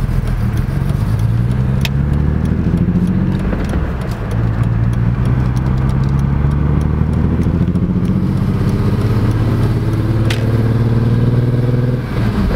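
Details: E46 BMW M3: lumpy, uneven low engine beat with no smooth rhythm; misfire on all 6 cylinders caused by the pre-cat O2 sensors being swapped between banks.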